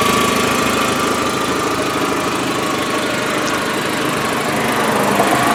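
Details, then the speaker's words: 2004 VW Jetta sedan engine at idle, heard from engine bay: steady even idle with consistent patter, no misses or knocks; runs well, possibly a very slight minor exhaust leak. "That's the motor in this vehicle, and it does seem to run pretty good."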